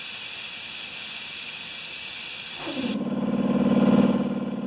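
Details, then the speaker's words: Compressor that sat 8 years, after cleaning varnish from the check valve and adding a pressure switch: hiss cuts off, then motor and pump run a smooth steady hum, no knocking; cycles off about 135 psi, regulator 110; running good. "so that's running good"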